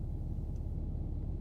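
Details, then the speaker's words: Cummins diesel truck, rough on cold starts at -20 to -30°C, starting: deep, lumpy rumble with uneven low pulses and no steady beat, struggling to idle; rough idle. "All right, we'll see if she goes. She went. She's not happy about it."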